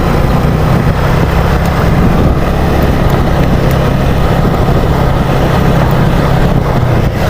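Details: Yamaha Mio Sporty carburetor scooter, hot, half throttle on a road test after fitting an original CDI: steady even engine drone without stutter or misfire, wind rushing over it; the earlier hot half-throttle bogging is gone, running fine.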